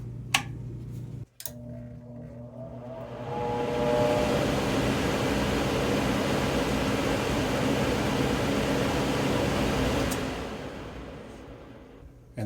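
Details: Rheem A/C air handler after blower fan motor replacement, tested with the cover-switch held in: blower spins up to a smooth steady whoosh and holds even speed with no rattle or squeal, now repaired.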